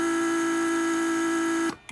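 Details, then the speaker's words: Mercedes S320 repaired PSE pump testing rear headrest release circuit: pump creates and holds vacuum to drop headrests; steady hum under two seconds, clean shutoff; working fine. "it creates vacuum and it holds vacuum as you can see now it went back so this is working just fine"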